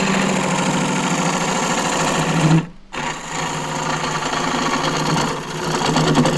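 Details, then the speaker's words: Small lathe turning thin-walled green juniper natural-edge bowl, bounce gone so speed raised to about 1200 rpm: steady even hum with clean low tone, no wobble or thumping; normal running at higher speed. "Bounce has gone out of the lathe a bit so I can spin it faster now up to 1 12200 a MIM"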